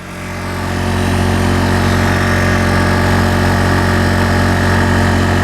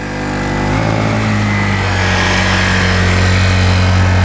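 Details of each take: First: Honda 1000-watt portable generator powering two 500-watt lights at full capacity; a steady, even engine hum holds its pitch without hunting. Normal running under full load. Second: Honda 1000-watt portable generator already carrying two 500-watt lights when a third light is added; the engine drone drops and labours, then eases off. Overload trips the circuit breaker.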